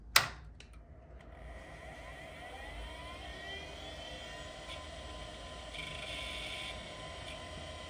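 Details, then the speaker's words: Early-1990s 486DX-33 clone PC that fails to post: click at power-on, then a faint whine rising as the hard drive platters spin up under power-supply fan hiss; no stiction, drive sounds perfectly good. "But well, I am quite happy that the uh the hard drive is not suffering from stiction or whatever. It sounds perfectly good."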